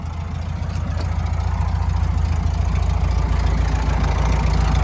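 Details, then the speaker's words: 1972 VW Super Beetle air-cooled engine idling, carburetor not yet tuned: steady, even low chuffing idle with a slightly rough beat but no clanks or knocks; idling normally. "so it's running it seems to run okay no clanking no noises nothing like that"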